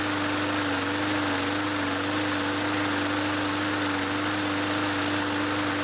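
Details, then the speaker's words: Free Bolens (MTD) 21-inch push mower that cut out after startup, after carb cleaning with fresh fuel: engine settles into a steady, even drone with no surging or cutting out; runs healthy. "and that right there is some good news"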